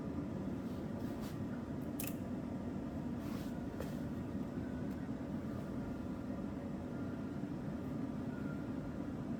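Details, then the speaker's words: Cadillac DeVille project car during electronics test: blower motor kicks on with a steady, even whoosh and hum, no ticking or scraping; blower works normally. "I just started the video to show you all about this stuff and the blower motor just kicked on"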